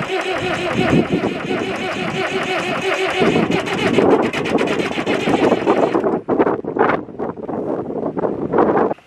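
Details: David Brown 996 diesel tractor, sitting about 10 years (2012 insurance disc), first start on leads wired straight to the battery: steady cranking, then ragged, uneven firing pulses as the stored engine comes back to life; normal start.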